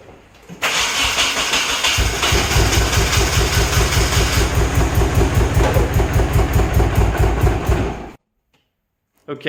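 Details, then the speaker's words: Nissan 240SX with timing set to 20° BTDC, cranking, catching, then stumbling with an uneven, lumpy beat as if running on about two cylinders. The owner suspected low compression or a wrongly fitted head gasket, then checked every cylinder's compression. "you can hear it kinda wanted to run it ran on like maybe two cylinders"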